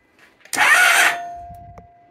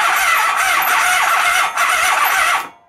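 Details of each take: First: 1997 Honda ST1100 Pan European, long neglected, cranked on a jump pack with the plugs out. Brief strong whir as the starter spins the engine freely, then winds down; starter works and there is spark. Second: 1997 Honda Pan European ST1100, long neglected, plugs reinstalled, on a jump pack with flammable starting aid: long squealing cranking bursts with short pauses and no catch after a single backfire; extended cranking, no start.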